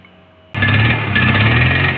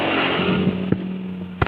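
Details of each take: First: Honda CBR150R with its ECU refitted after throttle body, injector filter and air filter cleaning: engine catches, then revs surge and sag unevenly, never settling into clean idle, and dies without throttle; stumbling low-rev running blamed on a faulty ECU. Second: Honda CBR150R fitted with a non-original ECU after stumbling and stalling problems: steady, even idle hum with constant pitch and a couple of handling knocks; idle now good, cooling fan spins immediately at start-up with this ECU; normal idle.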